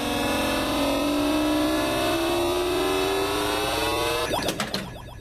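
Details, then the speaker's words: 1986 Williams Pin-Bot pinball machine after replacing chip U12 to fix dead sound: clear game sounds at full volume, a rising electronic tone then quick effects; sound output normal, though a ball is stuck. "So the sound's working, but the ball's stuck, so it can't find the ball."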